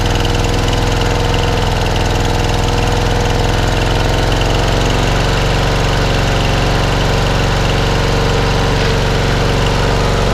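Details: Rebuilt engine, unstarted for about a week, with fourth blade now fitted to stop shaking: loud, constant drone at a fixed speed with no surging, knocking or shaking; runs smoothly.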